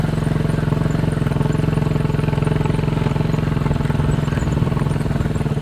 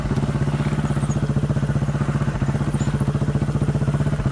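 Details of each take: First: Chinese 200cc Honda-clone quad after a spark plug replacement, on a 10-minute test ride: a steady, even single-cylinder thump at constant speed with no misses or stumbles. The warm-running misfire and stalling are fixed. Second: Chinese 200cc Honda-clone quad bike, warmed up after riding, choke half on: single-cylinder idle with an uneven, stumbling beat as firing pulses drop out. It misses and tends to stall, and the misfire was traced to a failing spark plug.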